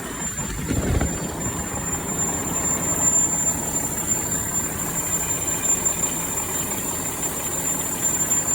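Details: Diesel truck after replacing the exhaust gas pressure sensor (EGR valve position/sensor supply circuit codes) and resetting faults: steady, even engine run under a loud hiss, with no knocks, misses or surging; running normally.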